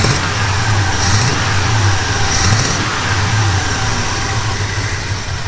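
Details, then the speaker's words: 1977 Chevy C10 after a broken rocker arm and pushrod, possible valve damage from debris: uneven lumpy idle, snapping puffs spitting back through the carburetor on each throttle blip; owner suspects valvetrain issue. "not sure if you heard it in that little clip but every time I gave it a little bit of throttle you could hear kind of that little bit of snapping noise or whatever coming up through the carburetor so that tells me that I possibly have a valvetrain issue"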